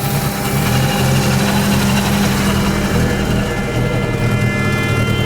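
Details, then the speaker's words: Mazda RX-7 FC3S Turbo II rotary, sat about 10 years, first idle after fuel system rework, no mass airflow sensor: rough idle with thin steady high whine; owner suspects bad bearing in vacuum/smog pump or alternator, not confirmed. "Kind of sounds a little iffy. It sounds like either that might have a bad bearing or the alternator may have a bad bearing."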